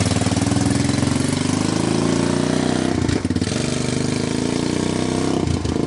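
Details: Honda TRX250 ATV single-cylinder after diesel-contaminated fuel was dumped and fuel fed from a bottle, choke on: fast, fairly even idle with a couple of brief dips, then settles; normal idle.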